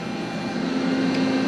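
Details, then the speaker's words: Used, previously broken CNC machine after a cold start, jogging axes: smooth, steady motor hum holding one even pitch with no knocks or grinding; Y axis sounds healthy. "It's moving. It sounds good too. Maybe I didn't completely blow my money. Let's see. The Y sounds good."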